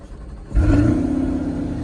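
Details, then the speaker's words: Chevy with a front trunk at a salvage auction yard, restarted: fires on the first crank, jumps to a crisp rev, then settles into a steady even rumble; healthy, though it sounded better the first time. "Let's start it up one more time, because, man, that thing sounded good."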